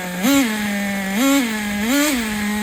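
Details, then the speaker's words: Traxxas Nitro 4-Tec 2.5 RC car nitro engine after loosening over-tight brakes: smooth buzz with three quick even rev blips settling back each time; clean, free-revving, running a lot better. "It was the freaking brakes. Running a lot better now. I can't believe that."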